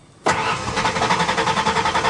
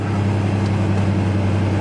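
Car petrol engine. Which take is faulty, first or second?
first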